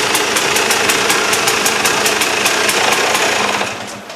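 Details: KTM two-stroke after replacing the damaged reed valve: crisp note with a sharp, regular crackle, revving cleanly and dying away evenly; much better than before the repair, running healthy.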